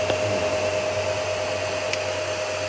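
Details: Home-built 15 A CT 55 power amplifier with cooling fans and an MCRD V2 driver, tested indoors: smooth steady airy whoosh with a faint constant tone, no rattles or wobble; the fans run normally.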